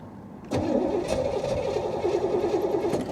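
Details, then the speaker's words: 1985 Chevy Corvette C4 salvage car with Hooker headers, fuel primed, fuel rail heard; starter churns with steady whir, engine never catches, cranking tires as the battery fades; no start with weak battery. "i can hear the fuel rail and here we go with the battery getting low again there it goes come on oh lord come on"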